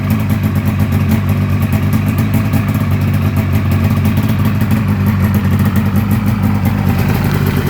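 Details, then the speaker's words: 1996 Polaris XCR 440 Special with EFI conversion and XCR pipe, fires right up after ACS plugs jumped to prime fuel pump: steady crisp two-stroke buzz, even firing, no misses, throttle very snappy; normal healthy exhaust note. "Oh. fires right up. Throttle is super duper snappy. This XCR pipe on a 500 twin sounds beautiful."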